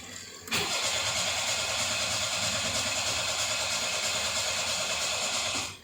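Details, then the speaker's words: Perodua Kancil fitted with a converted Japanese turbo engine: steady starter cranking about five seconds, engine never catches; fuse wiring blown, likely from an accidental wrong contact (short), so the engine cannot start. "ah tak boleh start ah tak boleh start so fuse dekat sana dah cut. Okey. Mungkin ada salah salah touching. Jadi bila dah salah touching fuse dekat sana terus dia cut."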